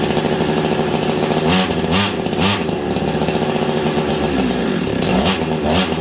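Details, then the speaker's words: Husqvarna 385 chainsaw that sat on a shelf for years: runs rough, and each throttle blip flares then sags without reaching full revs. Owner suspects an air leak or ignition not advancing; cause unconfirmed. Bogging, will not rev up. "it sounds like the clutch is grabbing on this thing but it's not it's the saw will not throttle up on it for me to save my life"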